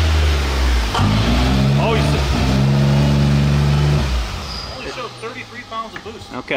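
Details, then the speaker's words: X3 side-by-side on a dyno: the note pulls up hard, then stops climbing and holds flat for a couple of seconds before backing off; power lays over mid-pull, showing only 33 pounds, and the cause is still undiagnosed. "sounded like it was laid over on that one for sure it started to come up and then uh wasn't happy"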